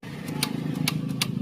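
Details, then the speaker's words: Maruti 800 starter: about six sharp dry clicks in under two seconds over a faint hum with no cranking, because the starter cable wire is not making contact; fixed with a new clip tightened on the wire. "ഈ wire contact കിട്ടാത്തകൊണ്ടാണ് ഇത് start ആകാത്തത് ആ നിക്ക് നിക്ക് നിക്ക്"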